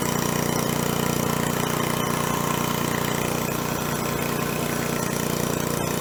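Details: 1970s scuba tank air compressor, restarted hot after a first successful run with the new belt pulley. Steady, even thumping at about 220 beats a minute with no misses or knocks; the engine is running smoothly.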